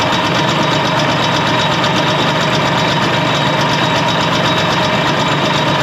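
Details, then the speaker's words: 1967 Ski-Doo two-stroke with a Tillotson carburetor set too rich: a busy buzz that never settles to an even beat, jumpy, boggy and skipping. "All right, now I'm going to show you how it sounds when it's too rich. The motor will start skipping. It won't have that steady RPM to it."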